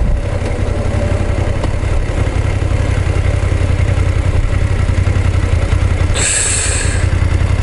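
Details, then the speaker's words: BMW F850GS twin cruising at 50–60 km/h, action cam mounted low: a fast, light metallic rattle rides over the steady drone, louder accelerating to 55–60 km/h, quieter above 60, nearly absent in neutral; owner suspects tappet noise, source not yet found. "50キロぐらい、50から60キロぐらいでこのカラカラカラカラ言ってんの。"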